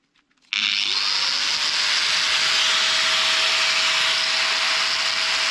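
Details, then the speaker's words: Power tool motor running after repair with a new brush, a larger brush ground down on a bench grinder to size; spins up cleanly to a steady high whine with even hiss, no brush sparking or crackle. "this success man the new brush uh is not producing any Sparks at all and all I did was just take one of these bigger brushes to the bench grinder and make it uh about the same size as this one"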